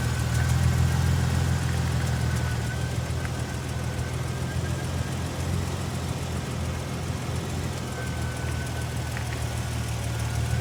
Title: Supercharged Tacoma Ticking Noises